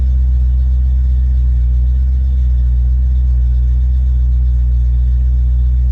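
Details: Ford Mustang V8 with rebuilt A9L mass-air ECU, down to closed loop about 800–900 rpm: deep even idle held steady without stumble, surge or dropout; healthy.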